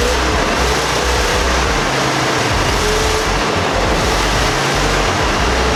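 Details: 1991 Jeep Grand Wagoneer first start in several years after a new starter was fitted: loud, steady engine roar with no stumbling, knocking or surging.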